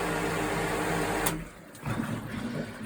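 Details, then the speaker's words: Pool pump motor after cleaning and refitting a start capacitor, switched on: steady even hum, no buzzing, then clean cut-off; running normally again, though warm because the airflow flange wasn't yet refitted. "on va mettre le courant et on va voir si la pompe se met en fonction. Bon, là c'est reparti."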